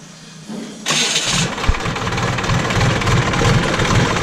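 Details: JCB backhoe loader diesel restarted after the fuel line was bled and its three filters were refitted and checked for leaks. The starter whirs briefly, then it settles into a steady, even idle clatter with no misses or stumbles. The start and idle are normal.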